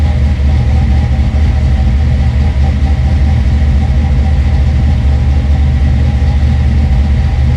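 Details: Ford Fox-body V8 with newly fitted 170cc aluminum heads, open headers, no coolant yet: deep, steady rumble with an even low beat and no ticks or knocks; sounds healthy.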